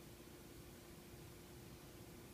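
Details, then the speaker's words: Tivo Series 3 HD (TCD652160) replacement Apevia CF7025S 70 mm cooling fan: soft steady whoosh with faint even hum, no ticking or buzzing; much quieter than the 3500 rpm Evercool but less airflow, running healthily. "quiet as a mouse uh less air boy that's a big difference yeah i can't even hear that"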